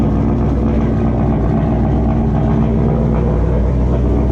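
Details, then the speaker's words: 2004 GMC Sierra, first start of a newly installed Turbonetics 78/75 rear-mount turbo (old turbo worn, leaking oil past seals), intercooler piping unhooked, idling: steady, even low rumble with no whistle, rattle or scraping from the turbo; no oil leaks, normal and quiet. "Fired up. Everything seems to be good so far. No oil leaks. Everything sounds normal, sounds quiet."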